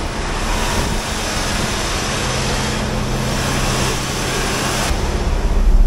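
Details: 1970 Plymouth 'Cuda 383 four-speed, not driven daily, brought in because it won't start; spark and fuel confirmed, possibly flooded or short of fuel: long rough cranking without a firing rhythm, building near the end. Hard starting, cause unconfirmed, plugs long unreplaced.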